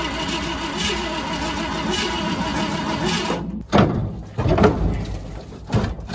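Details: 1969 Ford F-100 revived after sitting for years, formerly locked-up engine, spark plugs replaced, weak battery: a few seconds of slow, labouring cranking that never catches, then clunks and handling noise; cranks but won't start.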